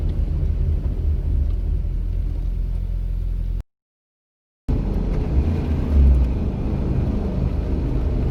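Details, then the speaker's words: VW Rabbit with 270,000-mile chassis after wheel bearing and spindle replacement, test drive in rain, coasting off throttle with wipers off; soft, even road rumble, no plane-like droning, new wheel bearing quiet. "you might already notice a difference even with the sound of the wipers but it's even easier to tell when i shut off the wipers and let up on the throttle"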